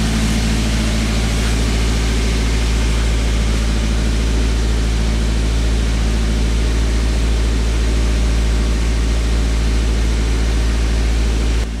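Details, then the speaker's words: 2010 Toyota Avanza at idle with an unstable idle and the check engine lamp on: a steady fast drone at about 1200 rpm against the 900 rpm standard. "Kondisi putaran stasionernya ini terlalu tinggi. Kalau standarnya stasionernya itu sekitar 900 rpm, tapi ini 1000 rpm lebih."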